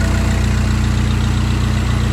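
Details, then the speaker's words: VW Jetta TDI diesel after AC compressor clutch and noisy bearing replacement; even idle with steady low diesel knock, no squeal or grinding from belt side; compressor noise gone. "And there we go. No more noise from the AC compressor. Much better."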